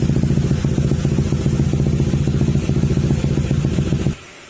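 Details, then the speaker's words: Honda ADV160 scooter with bolt-on parts and aftermarket pipe, before ECU remap: even, low exhaust pulses at steady idle, no ticking or rattle, then clean shutoff. Very quiet, healthy idle. "Ang nag-iintro ng makina, yan yun. Tahimik na tahimik."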